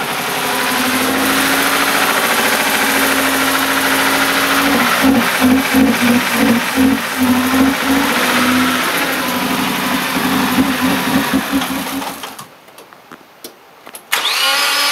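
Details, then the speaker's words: Car started after its battery was rejuvenated from 0.75 volts by charge/discharge cycles: the engine catches and holds a steady, slightly lumpy idle with a little smoke, so it starts and runs. "definitely charged the battery up so oh yeah it started not too much smoke a little bit but"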